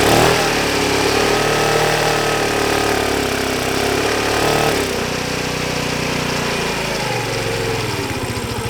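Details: Cheap Chinese 49/50cc carbureted scooter that sat and won't start: the small single revs briefly, then sags and fades toward a stall; it is fuel-starved, and the owner suspects the carburetor or petcock and plans a carb clean.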